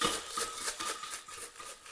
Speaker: you can hear the muffler rattling there, that it's completely disintegrated.